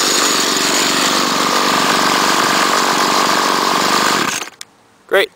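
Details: Trimmer unstarted for a couple of weeks, started on choke with little gas before winterizing: steady high buzzing run holds without stumbling for about four seconds, then shut off; runs healthy.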